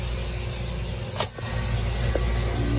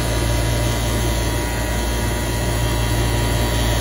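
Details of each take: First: Walk-in freezer, newly installed replacement 3-pole 208 V contactor: one sharp clunk as it pulls right in, then steady hum of compressor and fan running; normal engagement. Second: Walk-in freezer condensing unit on roof, 3-pole contactor in electrical panel: loud steady buzz with rattling edge, contactor vibrating and not closing fully, supply 202 V on all legs; chattering contactor.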